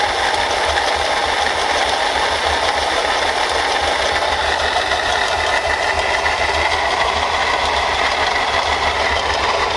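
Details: Mercedes-Benz C240 at idle: steady rattling chatter at an even pace from a broken water pump bearing wobbling the pulley and leaking coolant; water pump bearing failure.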